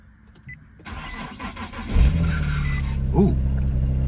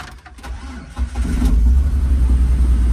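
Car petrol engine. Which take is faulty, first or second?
first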